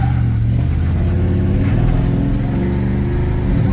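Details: 1997 Chevy K1500 with a new mass air flow sensor fitted to cure 0-30 mph hesitation and sputter. From a stop, a loud, full engine note pulls hard and evenly with no stumble or sputter. Normal acceleration.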